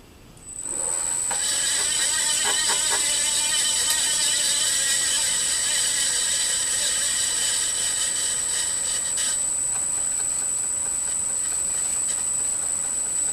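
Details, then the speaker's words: Rebuilt pulley housing with new bearings, oil in the gallery, pulley on highest rpm setting and VFD limited to 15 Hz (quarter speed): smooth, quiet spindle with only a thin high motor whine; normal spindle running, motor noise remains. "sounds really promising the the spindle or the pulley housing is very quiet"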